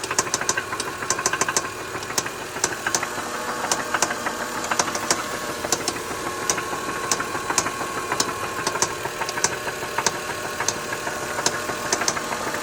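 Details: 2003 Lexus GS300 at steady idle: sharp, uneven knocks about one to two per second; source unknown, needs closer checking.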